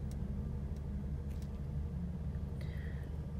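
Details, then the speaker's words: 2012 Ford Mustang 3.7 L V6, 70,000 miles, check engine light, hard starting, stalling, lack of power, strong gas smell from exhaust: low, lumpy idle with uneven beat under the rumble; misfire from bad fuel injectors. "runs like crap i had trouble i actually had trouble starting it to bring it into the shop it was like uh it was almost like if the engine was hydrolocking itself and i smelt i smell gas"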